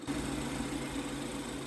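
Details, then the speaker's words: 2017 BMW X3 N20 four-cylinder after replacing the serpentine belt and tensioner, at idle: an even, steady hum with no squeal, chirp or rattle from belt or pulleys; normal belt drive. "all sounds good and looks good. Nothing wrong,"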